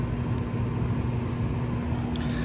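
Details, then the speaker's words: Trane CGAM air-cooled chiller, circuit one, both compressors running at 93°F ambient: about 110 suction, 384-385 head, 12 superheat, 17 subcool. Steady, even low hum with no knocks; metering device working. Normal operation. "looks like the metering device is doing its job and it's running like a tank for circuit one"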